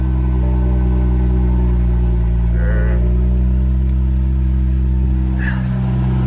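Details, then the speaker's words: BMW N55 after vent hose replacement, first start in a month: low, steady idle hum with no misses, ticks or hunting; running smoothly while checked for fuel leaks. "Here we go, guys. First start since last month."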